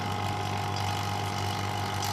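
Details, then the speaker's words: Refrigerator system vacuum pump after about 8-10 minutes of evacuation: one steady hum with no change in pitch or load when rechecked, indicating the system is fully evacuated. "कुछ नहीं बदली ना, फिर खोलते हैं देखते हैं, कुछ नहीं बदली, मतलब कि वैक्यूम हो चुका है।"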